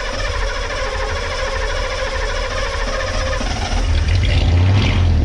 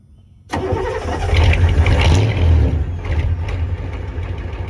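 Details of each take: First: Ford 6.9/7.3 IDI diesel pickup, fuel system drained and primary still holding some fuel: runs unevenly, then the idle falters and breaks up as it dies. Stalls once air reaches the injection pump, then air pushes into the return system. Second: Ford 6.9/7.3 IDI diesel pickup, warm weather around 70°F: short crank, catches almost at once and settles straight into a steady diesel idle. A healthy start with no hesitation, as it should light off above 60°F.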